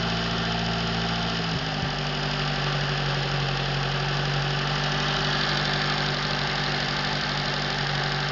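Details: Atomic 4 inboard engine overhauled last summer (new pistons, rings, valve springs, plugs, wires, higher-flow water pump), run without choke on a test stand for a 17-foot homemade wooden boat, alternator off: settles to steady, even idle after brief throttle change, no knocks or misses; normal idle.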